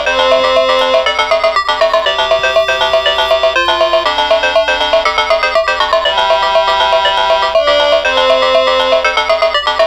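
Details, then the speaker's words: Atari Lynx model 2 known-good unit playing Zarlor Mercenary at full volume: game music loud and clean with steady tones, no crackle, buzz or dropouts; speaker audio normal, unlike the unit with bad capacitors. "okay so there's that one and so you could hear that and actually again it's a full volume and the audio is pretty clear"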